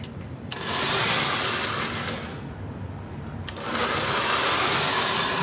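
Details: Lionel 1688 toy locomotive test run on track after motor removal, armature cleaning, light e-unit cleaning and side rod replacement, previously stuttering: smooth busy electric whir with clicking wheel noise, swelling and easing; healthy motor.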